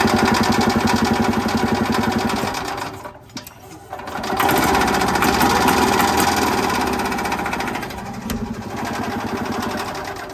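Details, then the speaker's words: Ez-Go golf cart with a Robin 2-cycle engine on sprayed starting fluid: rapid popping about four a second that catches, sags and dies. It fires but gets no fuel; something possibly plugged while blowing out with air. "Hey, did you hear it fire? It did fire, but for some stupid reason, she ain't getting no gas."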